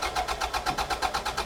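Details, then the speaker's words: 1996 Toyota MR2 Mk2 barn find, stored over five years, first start after fitting a new battery: even rhythmic churning as it turns over and comes to life. A normal start, then it runs sweetly. "Yes! It lives! It lives!"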